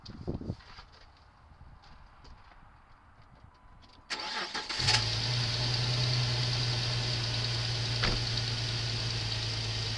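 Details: 2003 Jeep TJ with a brand-new fuel pump, during fuel pressure regulator testing with a gauge: after a few seconds of quiet the engine fires and settles into a steady, even hum with no misses; healthy running.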